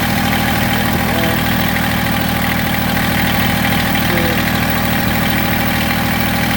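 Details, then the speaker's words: Massey Ferguson GC1710 sub-compact diesel tractor with loss of power and heavy vibration, idled down: uneven, lumpy shaking chug instead of smooth patter; rough idle, owner suspects one cylinder misfiring or not firing. "now I idle it down and you can see how rough I mean I I can't I wish I could show you how much this knob is moving but it's bouncing tremendously everything is just everything's shaking tremendous"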